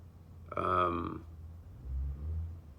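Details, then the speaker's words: SolarEdge HD-Wave inverter, during optimizer pairing and after the voltage ramps to about 380–390 V, gives a short burst of relay clicks with a brief hum as it switches on; normal start-up. "ok you hear that all this relay clicking that means that the inverter is turning on"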